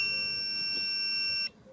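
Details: Sewerin Variotec 8 tracer-gas leak detector, several years old, switched on: one steady shrill electronic tone about a second and a half, cutting off cleanly; normal power-on beep before its internal pump runs.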